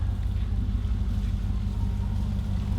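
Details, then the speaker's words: Flooded, wrecked 2014 Super Aéronautique 230 inboard surf boat after engine flushes, idling on a water supply through a reverse plunger that also lubricates the shaft. Deep, steady burble at about three pulses a second with no knocks or misses; normal idle. "all right let's go jump down real quick show you what's going on down there oh she sounds so good"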